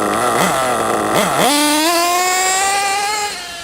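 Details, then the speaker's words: RC truggy nitro engine after needle tuning, high-speed leaned in; two blips then a clean climb to a screaming pull like a two-stroke power band: crisp response. "You might have heard it then, it sounded a bit like a power band on like a 2-stroke dirt bike, didn't it? But it kind of went and then it just shot off."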